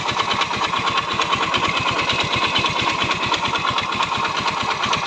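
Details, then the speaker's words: Yamaha Mio Soul i 125 scooter at idle; sharp regular metallic knock repeating every turn; owner blamed the CVT pulley and back plate, but the mechanic diagnoses a worn connecting rod needing an overhaul. "'di ba rinig na rinig naman mga kaibigan na connecting rad yung sira niyan"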